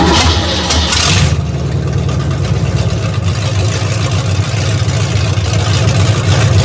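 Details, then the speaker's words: V8 with timing set but carb and vacuum advance not yet tuned, microphone laid on the ground; deep, burbling idle with a slight rise and fall in speed: slightly unsteady idle. "Got the timing pretty good. It's fluctuating just a little bit, but I ain't tuned the carb yet."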